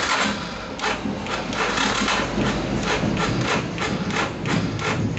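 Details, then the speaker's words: Yamaha Scorpio after piston ring repositioning, exhaust not yet fitted: slow labouring thumps about twice a second as the electric starter struggles; battery voltage dropping, too weak to crank, switched to kick start. "kuat ini Waduh nggak kuat teman saya engkol dulu ya ini Ngedrop"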